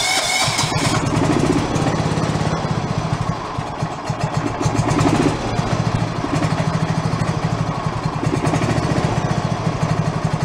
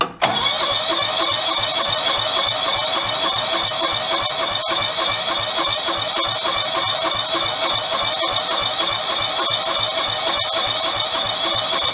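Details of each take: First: Revived free John Deere lawn tractor engine, idle speed adjusted up after being too low, letting it build oil pressure: small engine puttering at a steady, even idle without stumbling or hunting; normal idle. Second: Free John Deere lawn tractor left sitting outdoors, water found in the gas tank: long steady cranking, about 3.5 turns a second, never catches; hard start and sputtering, owner suspects stuck carburetor or fuel pump diaphragms rather than fuel level.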